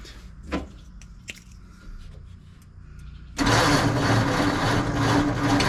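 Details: 1948 Ford F5 truck, dormant nearly 30 years, choke fully open, starting fluid, distributor timing turned nearly to its limit: quiet clicks, then loud, uneven cranking churn that never catches; battery suspected going low, cable getting hot.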